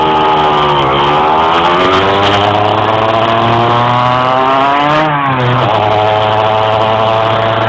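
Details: Engine struggling to climb in revs while driving: the note climbs, then sags and drops back twice before pulling up again; hesitation under acceleration.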